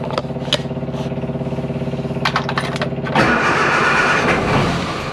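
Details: Classic Mini Clubman Estate, start attempt: the starter churns steadily about three and a half turns a second for three seconds, then a ragged rush that never settles into idle. Hard starting.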